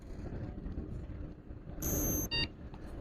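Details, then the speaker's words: Lenovo ThinkCentre all-in-one computer with a no-display fault, no hard drive and no BIOS battery: quiet hum, then one clear half-second high beep at power-on, a normal POST signal. "you can hear the sound one beep actually"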